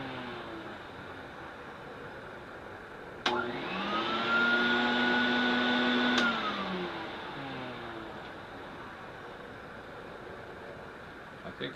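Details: Electrolux 280 vacuum cleaner, after disassembly and lubricating the motor to cure a whining noise: spins up to a smooth even whir, steady pitch with no whine, coasts down cleanly; repair successful.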